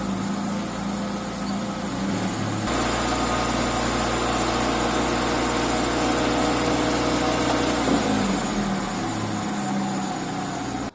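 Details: Car wheel after wheel bearing replacement, lifted, neutral, rotated by hand, after bending back a deformed metal shield that was rubbing the brake disc: even steady hum, no scraping or rubbing at low or high speed; normal wheel rotation.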